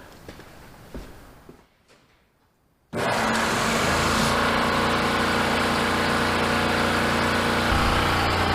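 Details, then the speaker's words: Worthington 3-TTC air compressor, about 75 years old, first fired up by switching on the breaker: quiet, then sudden start into a loud, steady pumping hum with no stumbling, noisy but much quieter than a 2-year-old Husky; normal start-up. "I mean it's still noisy but it's not nearly as loud as my other one I mean I would normally be yelling into the camera right now"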